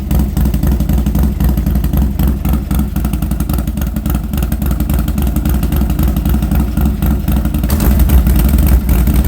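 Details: Harley Sportster running with newly fitted aftermarket exhaust: deep loping V-twin burble with uneven potato rhythm, swelling cleanly on throttle blips, no knocks or misses; normal running.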